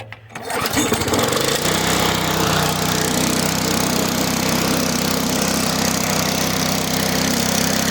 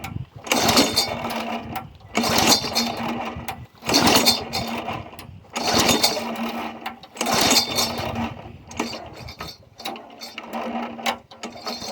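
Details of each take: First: Neglected, damaged push mower after repair (control cable replaced and cable-locked): the pull-start catches at once and settles into a steady, even buzz with no surging or misfire, showing normal running. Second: Yard Machine 22-inch push mower, Briggs & Stratton 4.5 hp engine (2007), primed after cleaning. Repeated pull-cord cranks about every two seconds, each a brief whirring rasp that never catches; has compression. Spark plug found soaked; owner suspects water entered the cylinder while tipped up, possibly too much oil.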